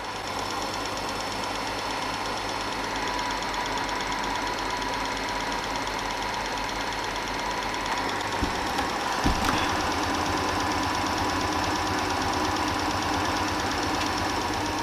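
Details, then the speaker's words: Old Super 8 film projector under repair; fast even mechanical clatter over motor hum while running, eccentric cam behind shutter moving something up and down; belt slipping ruled out, owner suspects gears not running right. "there's an eccentric kind of Cam thing on the other side of that shutter thing that's looking something up and down"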